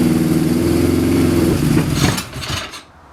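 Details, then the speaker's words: Suzuki GS550 four-cylinder cafe racer, carburetors not yet synchronized or rejetted, fitted with individual pod air filters: runs unevenly on choke and dies when choke is switched off, won't idle; lean condition, pods letting in too much air. "So whenever you want to switch the choke off, it kind of dies. It's starving itself of something. So because we've changed the air filter to using individual pods now, it's sucking in too much air."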